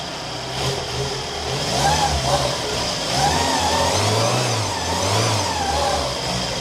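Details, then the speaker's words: Peugeot 205 with a completely rebuilt carburettor and a new battery, revved cold: clean rises and falls with no tapping or misses, only slightly lazy pickup until warm. Normal cold revving. "Still, it's cold. But once it warms up, it'll rev more freely. But look at that, and listen to it. It's not tappety or anything, it's bloody lovely, running nice."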